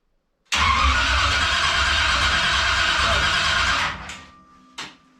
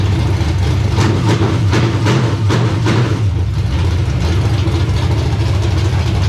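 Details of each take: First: Freshly reassembled engine just installed in the car, first start attempt after cranking to build oil pressure, clutch not yet hooked up: starter spins engine steadily about three seconds with no firing, then stops; cranks, no start. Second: Carbureted race car V8, first start after install: deep, steady rumble at idle settling into an even beat with no knocks or stumbles; running properly, though it starts only sometimes.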